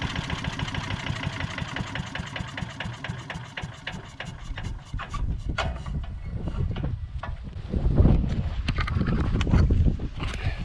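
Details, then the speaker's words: Tecumseh-powered MTD Yard Machines chipper/shredder, long sitting, now running on its own fuel after a no-start; small single-cylinder catches and settles into a steady, even putter with no misses or knocks: normal running. "all right well started running off its own fuel which is surprising"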